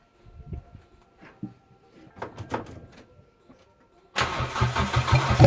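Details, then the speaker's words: Turbocharged 1ZZ engine in a custom MR2 Roadster/Spyder, first start-up after build with PCV and breather venting to atmosphere and turbo oil feed left loose: cranking clatter, then catches and settles into a steady, fairly quiet idle without misfire or knocking; normal start. "So I'm just going to have a quick mop up and then we'll restart the engine, but by gosh, that is amazing. Not too loud either."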